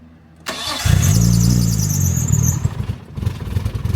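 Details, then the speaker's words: Nissan R34 Skyline, freshly rebuilt RB25DET, first start on the tuner's remote base map after a fix: starter cranks, engine catches briefly with an uneven lumpy burble, then dies; hard start, cause unclear; runs clean on a later try. "Barely. Come on. Just caught it as you shut off."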